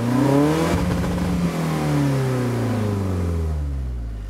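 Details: 1991 BMW E30 318is, M42 1.8 L DOHC four-cylinder, in neutral, recorded at engine bay and exhaust: revs climb then waver and stutter near 5,000 rpm as if hitting a rev limiter, won't rev past.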